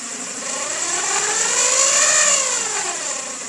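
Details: 2000 Honda Civic EX with a rebuilt D16Y8 engine, mechanical timing correct, idling with a steady high whir and a faint swelling tone; the owner suspects the cam pulley, timing tensioner or a bearing.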